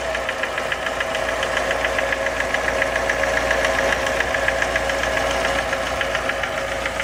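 Sharp, regular ticking knock, roughly three or four a second, riding over a steady idle; a clear knock from inside the engine.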